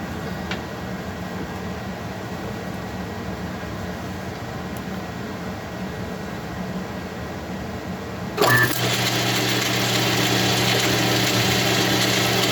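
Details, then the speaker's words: Machining cut on a 660 clone part, 10,000 cut; quiet room hum, then an even, chatter-free hiss starting about two-thirds in, the tool cutting cleanly and sounding better than before. "This should be 10,000. Sounds like it's cutting better anyway."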